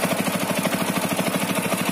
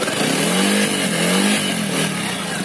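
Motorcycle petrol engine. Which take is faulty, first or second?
first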